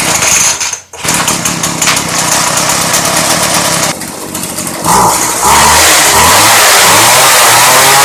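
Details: Craftsman 358.795792 Bushwacker 25cc hedge trimmer, cold start after replacing the broken fuel line and crumbling air filter, on 40:1 fuel: buzzes after a brief dip, then revs climb cleanly and hold high and even; runs properly.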